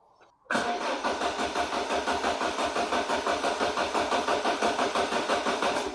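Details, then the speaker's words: Citroen BX 16-valve, stone cold, wide open throttle while cranking: steady starter churn about three beats a second with no catch, massively flooded by a leaking fuel pressure regulator diaphragm; flooded engine cranking, no start. "Wide open throttle. Does that sound massively flooded? So, it's actually misfiring full stop now."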